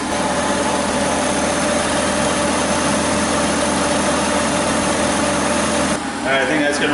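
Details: Kia Sedona idling after power steering pump replacement and bleeding, foam settled, no air bubbles in reservoir: smooth steady hum with no pump whine or groan; normal power steering operation.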